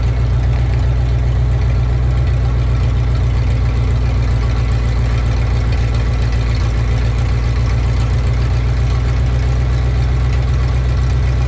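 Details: 1984 Ford F-150 with its old 302 V8, just after a new oil pump was installed (the old pump had been eating a piece of dipstick tube), checked for rear main seal leaks: deep, steady, even idle with no knocks, ticks or misses; sounds healthy.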